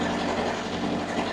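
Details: Loud, steady diesel clatter with an even drone and no knocks or surges from a two-compartment reefer unit (C1 front, C2 rear) running with both compartments switched on, C1 set to 4 degrees; normal running.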